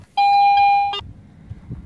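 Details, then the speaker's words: Garrett AT Pro metal detector after factory reset, defaulting to standard mode: one clear bell-like target tone held about three quarters of a second; normal. "I just did a factory reset and as you can see it defaults to standard mode which is your Bell tone"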